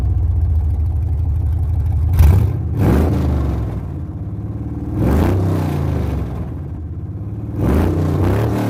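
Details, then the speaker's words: 6.0 LS V8 swap on its first start-up, very loud. Deep idle with three quick blips that rise and fall cleanly, no knocks or misses: normal revving. "this thing is ridiculous loud so I'm gonna start again one last time give it a couple quick little revs see if you can hear better"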